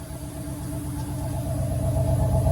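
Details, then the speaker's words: 1990 Cadillac Allante, warm after repairs to its main issues: smooth, even idle with a steady low hum and no misses or ticks; best it has run since purchase. "That sounds exponentially better. This is the best it's ever run since we've got it."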